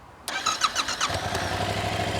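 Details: Yamaha Tracer 7 motorcycle, key on and fuel pump primed, then a quick starter whirr; engine catches at once and settles into a steady, even idle; normal healthy start.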